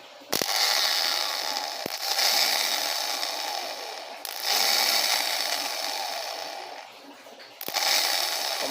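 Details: Dafra Zig 50cc scooter starter motor, rebuilt and bench-tested directly on the battery; repeated short bursts of high, even whirring as it spins up freely counterclockwise, smooth with no grinding or catching; starter working properly.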